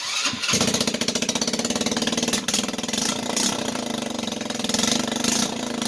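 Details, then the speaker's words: Cheap used moped (called 50cc, listed as 150cc) started on a battery charger standing in for the battery: sharp, raspy popping idle with loud hissy chuffs on each pulse, a bad exhaust leak. The throttle still needs fixing. "so there's a bad exhaust leak has a bad exhaust leak I'm gonna fix the throttle but it runs for $75 I'm not mad"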